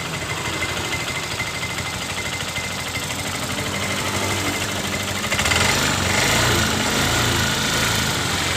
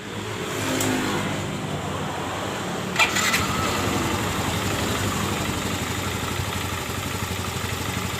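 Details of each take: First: Yamaha Mio M3 scooter idling with a loose, uneven knocking rattle from the left CVT case, about three knocks a second; the noise disappears when throttle is applied; the scooter is under-serviced. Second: Yamaha Mio M3 scooter starting and idling smoothly with no knocking after replacing the rollers and fixing loose plastic in the left CVT case that caused the clatter; rear wheel no longer turns at idle.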